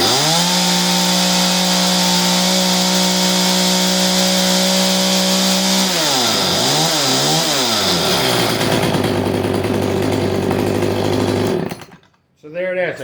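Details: CS310 chainsaw whose chain kept spinning at idle, after the clutch spring was fixed and the low jet screw reset. Steady, even idle with a constant tone and smooth throttle blips. The idle is healthy, and the chain no longer spins.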